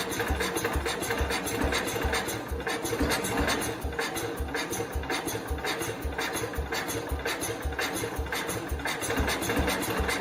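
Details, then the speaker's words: 1969 Cub Cadet 105 single-cylinder after engine reassembly and valve adjustment: uneven, stumbling putter firing irregularly, never settling into a steady beat; more responsive than before but still won't run, cause unknown. "it's definitely a lot more responsive than it used to be that just popped out in there however it definitely still has an issue what the issue is I don't know it's a lot better I haven't gotten it to run though"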